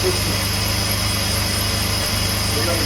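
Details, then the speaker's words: 2004 Jeep Liberty after replacing the high-pressure power steering hose, reservoir filled to the top: steady idle with a low groaning whir while the wheel is turned lock to lock, the pump working air out of the steering fluid. "while the car is on and the pump is Flowing you can just bleed all the right now it's filled to the tip of the top start her up and bleed everything out"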